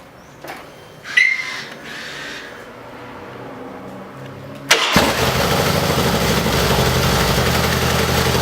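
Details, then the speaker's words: Harley-Davidson Dyna V-twin after fixing starter clatter from compensator part: quiet clicks, then clean quick crank and catch into steady loping idle with no starter noise; repeated starts confirm problem resolved. "como vocês viram problema resolvido três partidas seguidas sempre com a outra peça na segunda partida sem chance problema resolvido"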